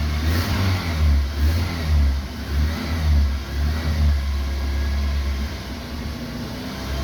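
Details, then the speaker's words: BMW E36 Compact 316i 1.9 M43B19 won't hold idle: after reinstalling the cleaned spark plugs (all black, rich mixture, car long parked), engine still runs lumpy with irregular stumbles at low rpm; low-rpm misfire persists, cause not yet found. "Ahora, tras volver a instalar las bujías, vamos a comprobar qué sucede. Bueno, vemos que sigue existiendo el mismo problema."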